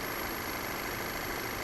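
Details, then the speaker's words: Engine at idle with a thin, very high steady whistle heard around the crankcase vent valve under the engine cover; it sounds like a large vacuum leak or hissing. Intermittent codes stored, with fuel trims currently fine; cause not confirmed. "that noise is right here sounds like a massive vacuum leak or hissing"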